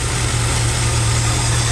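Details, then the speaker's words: Carbureted Chevy idles smoothly with a constant tone, no stumble or hiss, after fixing air entering the fuel line between tank and carburetor; normal idle. "so start the car up now okay she's running fantastically"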